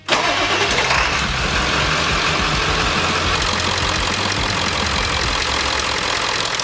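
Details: 1997 Ford 7.3 Powerstroke diesel after replacing O-rings on all eight injectors: cranks briefly, catches at once and settles into a steady, even idle clatter; all injectors firing, one showing slightly less oil, possibly a dirty tip.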